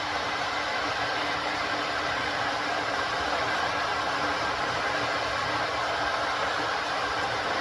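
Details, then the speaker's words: Ninja electric kettle on first use: even, steady rushing hiss with no knocks or rattles, building as the temperature rises; normal heating noise. "So as you can see, the noise slowly builds up as the temperature rises, and if you can see that there, that's slowly increasing."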